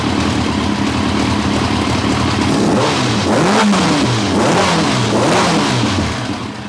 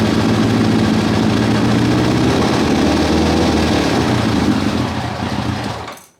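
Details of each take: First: 1990 Kawasaki ZZR1100 that had been running on three cylinders, after swapping plug leads 2 and 3 back: free, even revs with a clean four-cylinder note and all four headers hot. No dropped cylinder, running smoothly. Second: 1990 Kawasaki ZZR1100 started with a little choke, ran sweetly the night before: rough, lumpy burble with no power, no ticking or banging; misfire, owner suspects one cylinder dropped (running on three), not confirmed.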